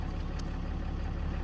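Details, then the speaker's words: RAM 3500 diesel idling after fuel filter replacement, after cycling the key to prime the filter housing; steady, even low diesel rumble with no stumble or surging once all air is purged. "Now it's leveled out, so all the air is primed."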